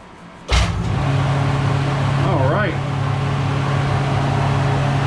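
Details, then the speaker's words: Newly installed Paasche airbrush spray booth exhaust fan (belt-driven motor, belt guard fitted), first test after wiring the switch: click at switch-on, then a loud, steady low hum and airy rush with powerful suction; normal fan running. "Boy, I can feel the suction. This thing is great. Look at that. That's some really powerful suction. It's very loud, but it's great."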